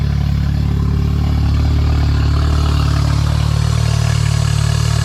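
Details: K24A2-swapped 1987 Acura Integra first running after new MAP and intake air temperature sensors, and 12 V to both cam position sensors: deep steady rumble, slightly uneven beat around idle, no knocking or misses; running normally.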